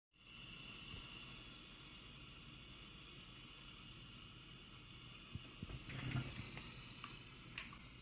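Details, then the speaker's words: Home-built 40 m direct conversion receiver after fixing audio amp hum: even band hiss with a couple of thin steady tones and faint clicks, weak CW Morse underneath; normal band static. "I don't know if you can hear that that is just static and actually if you're listening carefully you can hear some CW"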